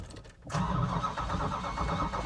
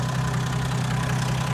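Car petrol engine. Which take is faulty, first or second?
first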